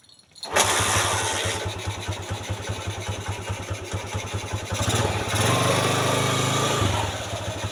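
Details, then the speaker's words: TMX 155 motorcycle that needed about 20 kicks to start, after replacing the carburetor (manifold and wiring already replaced): fires on the first kick into a steady even thumping idle with a brief rev; hard starting fixed. "Pinalitan ko ng carb Ayun one click na mga boss one cck na lango yung 155"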